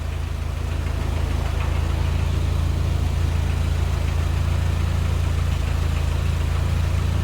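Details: Ford GPW Jeep after another head gasket change, head skimmed, thermostat removed, good oil pressure at startup: steady, even low rumble at about three and a half beats per second, no knocks or misses; engine idles cleanly.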